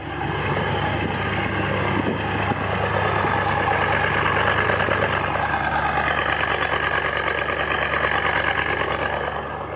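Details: BMW M550 after DIY oil change with Liqui Moly 5W40, idling while the car checks the oil level: steady, even rumble with no knocks or ticks; engine sounds healthy, normal idle.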